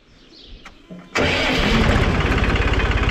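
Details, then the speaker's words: Tractor diesel after an overhaul with pump removal and adjustment and new filters; starts quickly and settles into a smooth, even idle of about 200 beats a minute. "Bir de mu annemize soktuk getirdik çok güzel oldu şöyle göstereyim çok yumuşak bir çalışması var"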